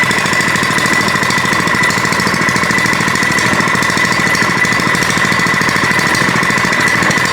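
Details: Older Kawasaki small single-cylinder engine after carburetor repair (butterfly fixed, adjustment improved): loud, fast, even popping holding steady speed with no misses or surging; runs properly.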